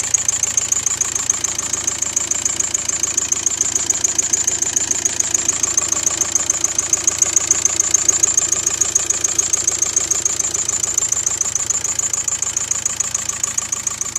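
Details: VW Golf 5 TDI 105 diesel at idle after camshaft and lifter replacement: a sharp, even metallic tick about three and a half times a second, steady throughout. The noise appeared after the job; source not pinned down.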